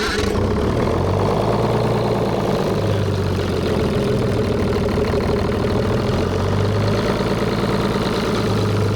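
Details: Detroit Diesel 6-71 two-stroke, reassembled with full air to the airbox and vice grips weighting the rack; deep steady drone, even and unbroken, no stumbles or misses. Idles much better.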